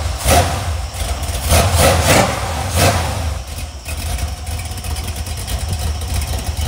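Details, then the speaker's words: Iron 5.3L LS LM7 V8 (believed 2002–2003, mileage unknown), supposedly a BTR Stage 2 truck cam, on a run stand with mufflers back on: steady deep even burble with throttle blips, no knocks or ticks; cleared up nicely, healthy. "yeah this thing cleared up really nice"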